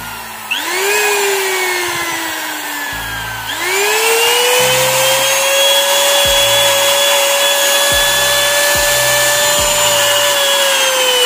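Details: Wood trimmer/router before repair, switched on: high motor whine spins up, then sags and fades for a few seconds before surging back; intermittently cuts out and stutters, traced to a faulty on/off switch.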